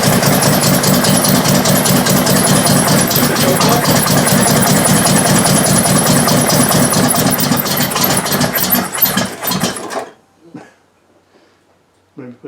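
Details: 1968 Triumph TR250, first start since body went on chassis, just after Weber carb idle mixture screws were backed out two and a half turns: about ten seconds of strong, even cranking at two to three beats a second without catching; cranks, no start.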